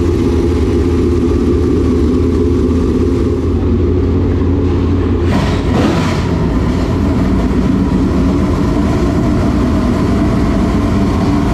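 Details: Newly installed V8 in a dirt late model race car after an adjustment down: deep, steady note with even firing, no knocks or misses; engine running clean and healthy.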